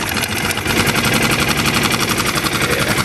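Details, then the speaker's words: New Hangkai 6.5 hp four-stroke outboard in water barrel after backing out an idle screw set too far in (was revving too high): steady, even idle pulse with no hunting or stumbling; normal idle. "sounds a whole lot better"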